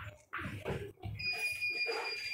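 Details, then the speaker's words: Hikvision DVR that was not recording: short, high, steady electronic beep in a quiet room; error alert linked to its hard drive, beeping stops after the drive is formatted. "Bây giờ anh không nghe thấy nó tít tít nữa là nó được rồi đấy."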